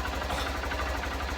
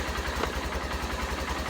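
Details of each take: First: Honda CBF125 (59 plate) after stator replacement for a no-charge fault, battery now reading about 14.3–14.7 V at idle: steady, even single-cylinder idle, smooth low thump, no knocks or rattles; normal idle, charging fixed. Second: Honda CBF125 (59 plate) with a failed stator, battery flat and not charging, lights out: small single idles with slightly uneven beat and brief blips before stalling from lack of battery power; failed stator, no charging.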